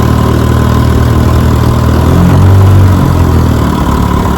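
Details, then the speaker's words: Restored 1957 Johnson 10 hp QD18 outboard with rebuilt carburettor and magneto, on the water after about 15 minutes' running: low, even two-stroke putter at idle with a brief smooth swell; idles cleanly, starts right up. "Idle down perfect, starts right up."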